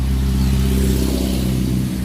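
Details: Chainsaw after repairing a broken fuel line inside the tank: strong, steady buzzing run at high speed holding pitch without surging or stumbling, running clean.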